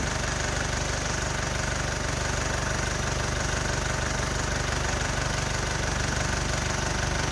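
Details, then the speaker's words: Mitsubishi Outlander diesel idling with a steady metallic rattle, about three beats a second, from the timing end. Often mistaken for timing chain noise, it is a slack balancer drive coupling and worn thrust washer. Exhaust manifold also found cracked. "Right, it's quite often mistaken for a timing chain noise as it's coming from this area, but it's not the chain."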